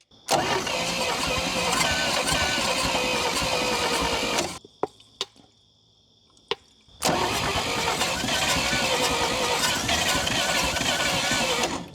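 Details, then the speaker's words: 1952 Dodge Power Wagon unrun for 16 years: cranks in bursts ~2.5/s, nearly catching but not running; owner suspects low compression and slow cranking, then tries 12 volts on the starter. "Well, can you hear? She wants to start so close. I think what I'm lacking is compression."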